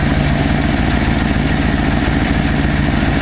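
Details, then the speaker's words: 1968 Ford F250 camper-special truck, non-running for years, now started after condenser, carburettor cleaning (clogged jets), vacuum lines and distributor work; mixture screws at two and a half turns out, not fully warm; steady, even low idle, soft regular pulse, no knocks or misses; normal idle. "I haven't had a running air/fuel mixture screws out at two and a half turns standard that's sounding better"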